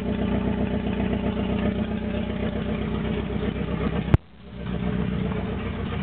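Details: AE86 with naturally aspirated 4A-GZE on a re-pinned bluetop harness, ECU, injectors and fuel rail, no exhaust past the downpipe; uneven, lumpy idle that wavers, sags sharply and recovers, struggling to hold idle.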